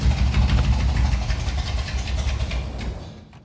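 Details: 1961 Buick Electra 225 with 401 Nailhead V8: deep rumble catches briefly, then fades and dies within about three seconds; bad accelerator pump, carburetor needs rebuilding.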